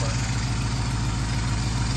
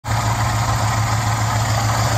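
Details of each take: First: Flood-project Mopar 11 Dodge Charger idling after AC compressor replacement, system not yet recharged, intake tube off; smooth steady idle, compressor noise gone, faint intake hiss, some remaining sounds; normal idle. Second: Flood-damaged Mopar 11 Dodge Charger idling before AC compressor replacement; compressor was underwater, clutch and internals now noisy; steady low hum with rough rattling drone on top, noisy AC compressor clutch.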